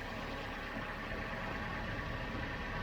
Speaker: but in terms of 1.2 that sounds absolutely perfect i'm happy with that